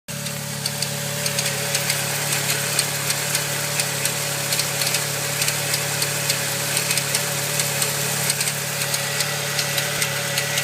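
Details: Saab 9-3 SS at steady idle: light sharp tick two to three times a second over a smooth hum; clicking of unknown origin, owner asking what causes it.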